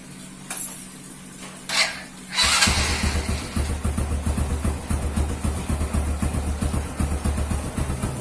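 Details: Honda Revo motorcycle restarted after the old exhaust was replaced with a new one. Catches after a short crank and settles into an even, steady single-cylinder putter with no knocks or misses; normal healthy idle.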